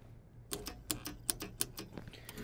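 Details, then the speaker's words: Walk-in freezer forced into defrost: the liquid line solenoid makes sharp metallic clicks about four a second over a low hum, chattering open when it should not be opening. Suspected electrical fault. "so we're gonna take these two wires this is my solenoid and I'm gonna all right hopefully you can hear that clicking let me get the microphone down there"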